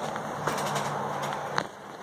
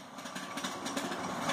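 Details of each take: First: 1903 Century 2 hp single-phase induction motor, frame P7, wired 110 V, ex table saw: switch clack, then even electric hum and whir with no knocking or grinding; runs well, slight rattle at the rear when winding down. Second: 1903 Century 2 hp single-phase induction motor wired for 110 V, winding down after switch-off: hum with a light, uneven rattle; suspected rear bearing or the start switch mechanism.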